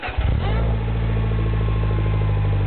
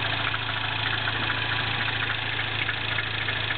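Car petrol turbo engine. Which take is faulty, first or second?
second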